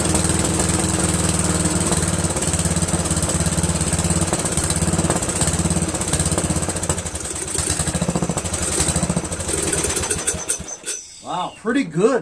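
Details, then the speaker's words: Briggs & Stratton 13hp flathead engine on an MTD Cub Cadet lawn tractor, first run after carburetor replacement; steady even beat about ten seconds without misses, then shut off; runs cleanly, owner pretty impressed. "pretty good I'm pretty impressed"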